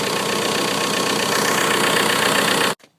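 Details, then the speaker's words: 1995.5–1999.5 VW Jetta TDI (MK3, 1Z/AHU diesel) at idle after replacing the alternator belt tensioner and pulley: steady, even clatter with no belt squeal or chirp, then clean shutdown; normal idle, no slipping. "belt not slipping no funny squeaks yeah sounds so much better than it did"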